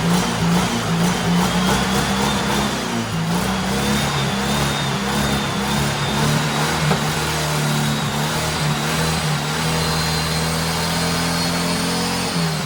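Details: Turbo rat rod Porsche 930 on a new carburetor after battery charging: strong, steady note rising as revved, no misfire, reaching about eight to nine psi boost; running healthy.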